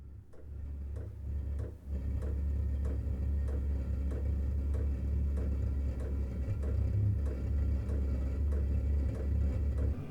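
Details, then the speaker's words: Chinese diesel heater newly installed in a workshop. After its initial fire-up cycle it has dropped to power level 2: low steady burner and fan rumble with an even fuel pump tick about twice a second. Normal running. "So the unit's finished its initial fire up cycle and has now dropped down to running at a power level of 2, whatever the hell that means. I have no idea, but relatively low."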